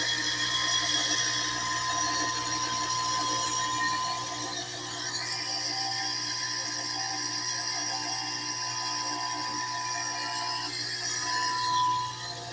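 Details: Kawamoto N3-206SH well pump, used: constant high-pitched motor whine over rapid light ticking, steady with no load change; abnormal motor noise, suction not verified.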